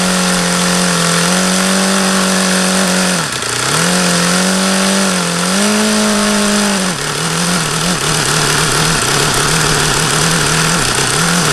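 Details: HP VT 21 rotary-valve four-stroke model engine with a long history of run problems: a high buzzy idle at its lowest setting that wanders, sags and recovers unevenly. The owner says it is still rich on the low-speed end and was leaning it.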